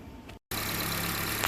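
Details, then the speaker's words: 2011 Honda CR-V 2.4L four-cylinder after intake plenum reinstallation and a new PCV valve and hose: an even, steady idle hum with no stumble. It runs smoothly and the earlier shaking is gone. "Start it right up. Runs nice and smooth. No more shaking."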